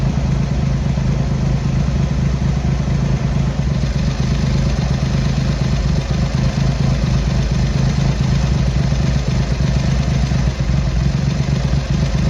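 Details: Triumph Hurricane X75 triple after carb rack rebuild, pilot screws richened, left carb adjustment corrected: steady, even idle with light valve clatter, no misses; running okay, slightly rich with dark smoke off idle; road test needed to tune further.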